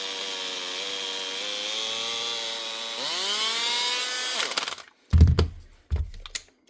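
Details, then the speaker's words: Makita DHP458 18V brushed cordless drill running rough: harsh, gritty whine rising then dying off, then handling knocks. Worn arcing brushes have melted the brush holder, possibly with a bad armature too; brushes and holder to be replaced first. "Brushes or armature? Could be both. Oh, there's the wee rubber bump off of in there. This one's melted anyway, or melted the brush holder."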